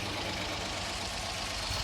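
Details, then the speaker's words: 1955 Ford F-250 sat over 40 years, running after revival: steady even idle with smooth hiss, no ticking or knocking, sounds quiet; normal idle. "i'm gonna do some adjustments to it make sure that it's not overheating put a thermostat in it and maybe put in an oil gauge although it sounds pretty quiet and just make sure that it's safe"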